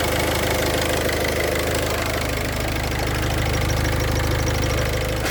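Idling engine with a faint, fast cricket-like chirp riding on top, typical of a worn clutch release bearing. Cause suspected, not confirmed.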